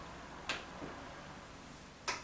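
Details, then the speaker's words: Beko washing machine after its door lock interlock was replaced, started on a spin and drain program, giving two sharp clicks about a second and a half apart as the door lock engages. Normal door lock click. "You could hear the click on that occasion, and now it will start filling, emptying and going into the spin and drain program."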